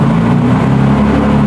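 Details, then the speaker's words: BMW E46 with turbocharged M52 (Precision 6466 turbo), first start after engine build, not run in a long time: loud steady drone with even low rumble, no knocks or misses; good oil pressure, normal running. "It's running. You can breathe now. We have good oil pressure."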